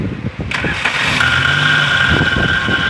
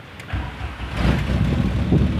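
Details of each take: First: Car starter motor cranking the engine with a harsh scraping grind and a high steady squeal over the cranking, pointing to a wobbling starter shaft; starter to be removed and inspected. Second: Car engine starts cleanly with a replacement starter motor and settles into a low, steady run; the old starter crackled loudly, the new one makes no grinding or noise.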